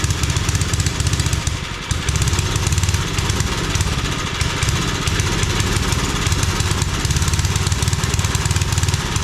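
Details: 5 hp Briggs single-cylinder engine on a homemade wood splitter, started without choke after adding fuel: steady putter with even beats, one brief early dip, then constant speed; normal running.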